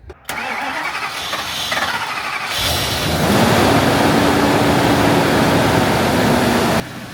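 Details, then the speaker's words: Ford Excursion stretch limo with 207,000 miles, nearly out of fuel: the starter cranks about two seconds, then the engine idles with a slight, uneven misfire. No exhaust leaks. "You can hear the misfire a little bit. Yeah, it's almost out of gas, but it's got it's misfiring a little bit."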